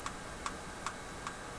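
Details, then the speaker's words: General Electric KL-70 AM/SW tube radio during troubleshooting, probing around output tube capacitor with about 200 V: thin, very high steady whine, estimated 17–18 kHz, over faint ticking; high-frequency oscillation of unknown cause. "200 volts with a scream when i put this on i don't know if you can hear it or not but this very high voltage or high voltage high frequency tone i'm guessing that was 17 18 kilohertz there"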